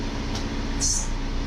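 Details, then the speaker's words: 2002 Hyundai Elantra after power steering pump replacement, at idle: steady even hum, pump now quiet with no grinding. Fluid was drained and refilled repeatedly until it cleared from chocolate-milk black. "oh yeah it's nice and quiet now so yeah one thing i did was i just kept draining refilling draining refilling"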